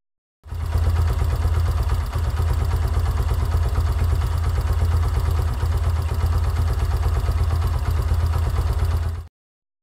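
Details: Yamaha YBR125 single-cylinder CV carburetor, while the idle mixture screw is adjusted: steady deep thump at idle, even beat with no misses or hunting; normal idle.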